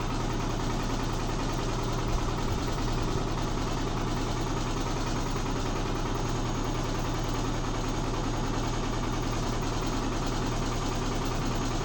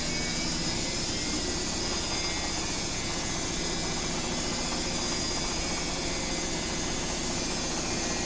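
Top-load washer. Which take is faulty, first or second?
first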